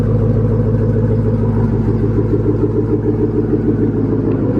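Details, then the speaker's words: Engine started after long storage, air filter removed, not yet warm: steady even V8 idle with deep regular lope, no knocks or misses, a bit smoky at first; normal idle. "But it sounds good. She's running healthy. Everything's good."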